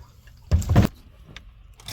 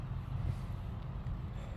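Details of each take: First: Chevrolet squarebody truck with 454 big-block V8, rotted: cranks, catches and roars about five seconds, then fades and dies; fuel starvation stall because the fuel pump was left switched off. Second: Rotted Chevrolet squarebody truck with 454 big-block, with a dripping leak: deep, steady low rumble with no knocks or misses under wind noise; engine runs smooth and even.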